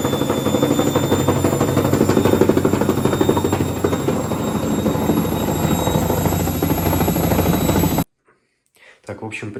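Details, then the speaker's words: Hotpoint Ariston front-load washer: hard knock about three per second as the drum turns; shock absorbers first suspected wrongly, front tub counterweight had worked loose, tightened to fix. "Проблема в том что передний противовес на баке разболтался Вот и собственно вот такой звук от него идёт стук"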